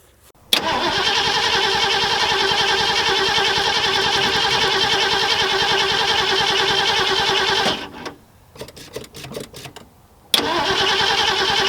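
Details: 1974 Ford Galaxie 500 that sat two decades, after spark was restored: catches, runs about seven seconds, stumbles, dies and refires; fuel starvation, running only off the accelerator pump squirts.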